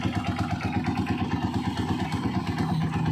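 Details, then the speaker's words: Honda TMX single-cylinder motorcycle idling after tune-up and oil change, valve clearance found very loose: light, quick metallic ticking over the low thump, attributed to the cam follower; valve train ticking at idle. "yan yung lagitik na yun C follower yan Yan yung naka-idle ka lang tapos lumalagitik yan C follower"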